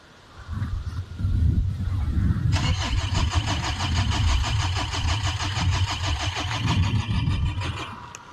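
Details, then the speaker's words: Diesel Renault Espace after running out of fuel, refuelled and primed, a disconnected plug refitted: starter whirs steadily about five seconds, engine turns but never fires; cranks but no start, connector suspected not fully seated. "Comment vous le trouvez mon sourire satisfait ? Bon, fait chier quoi, sérieux là."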